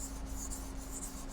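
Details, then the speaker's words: Japanese kitchen knife on a wet sharpening stone, blade flat with the shinogi line on the stone: a steady, low, even rasp is the correct angle. A raised angle scraping the edge sounds higher. "หากคุณทำผิดพลาดเปลี่ยนมุมขึ้นและเริ่มเกาขอบในแนวตั้งเสียงก็จะเปลี่ยนไปโปรดฟังอย่างใกล้ชิดนี่คือเสียงเมื่อทำถูกต้องและนี่คือเสียงเมื่อคุณทำผิดพลาดกับมุมคุณบอกได้ไหม?เสียงจะสูงขึ้น"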